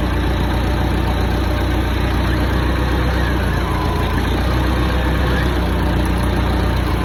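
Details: Hyster forklift with a Mazda FE engine after a head job, valve lash set to cold spec (.008" exhaust, .010" intake). Smooth, even, low-pitched idle holding steady with no ticking or misfire: normal idle.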